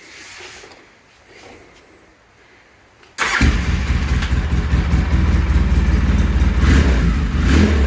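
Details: Flipped ATV with the factory carburetor refitted and fuel lines and spark plugs redone. It is quiet, then catches instantly and holds a strong, steady, even beat with no stumbles: normal start and run.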